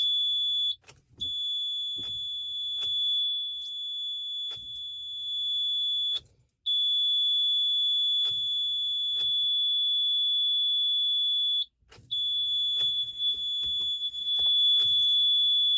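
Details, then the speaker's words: 2012 Toyota Camry no-start with the security light flashing, power lost everywhere except the dome light although the battery is said to be good: steady high-pitched beep in bursts with short gaps, no cranking. Warning beep on failed start, cause unknown. "I have a 2012 Camry uh when I go to start the car it makes this noise it doesn't start what is that noise guys what is this noise"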